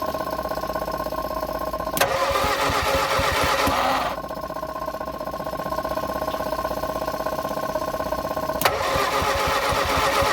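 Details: Abandoned Morris Minor, first revival attempt after running a temporary power wire to the coil for the electronic ignition; steady starter cranking at about four compression beats a second, never catches: cranking, no start.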